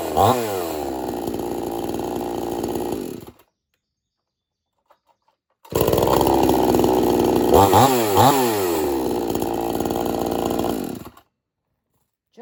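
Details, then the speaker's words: Two-stroke chainsaw on 50:1 mix, warm restart without choke, switch on: catches on the first pulls, then runs and revs cleanly with an even buzz; healthy restart. "Once it's warmed up, don't choke it no more. Just flip your switch on and pull it."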